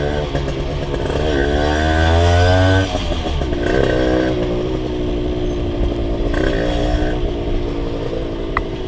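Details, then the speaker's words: Rebuilt Honda LS125 two-stroke while riding: revs rise and fall in uneven blips, low and high speed fine but hesitant pull through mid-range; owner suspects carburation and possibly gear ratio causing a mid-throttle flat spot. "So I don't know if you can hear in the video, but when I open the throttle, so the low RPM or low speed it's okay, high speed is okay as well, but there is a problem the mid-range."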